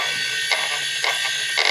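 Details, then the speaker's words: Old failed SCSI hard drive powering up on a test system: harsh high whine surging about every half second and a rumble like a jet engine, as if flying apart; the drive was already tested bad. "just listen to how much this sounds like a like a jet engine powering up as I turn on the system and it Powers up this [Music] device"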